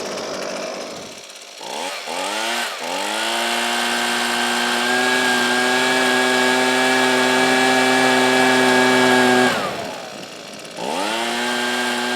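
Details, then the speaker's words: Husqvarna 125B two-stroke leaf blower after an ignition coil replacement, revved after a short warm-up idle: a high buzz picks up cleanly, holds pitch, drops back and recovers without stumbling. It runs healthy and sounds pretty dialed in, though the carburetor might need more finesse. "that's not too bad I think the carburetor might need a little bit more finesse but for the most part that sounds pretty dialed in"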